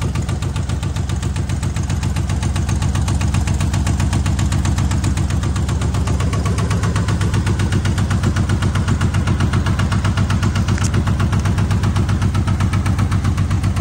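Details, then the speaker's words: 1978 AMC Hornet (year uncertain) at steady idle after a carburetor adjustment, with a sharp, even knock about four times a second in step with the engine. Owner suspects a rod knock; not confirmed. "sure sound like a rod knocking to me surely the guy wouldn't have lied to me"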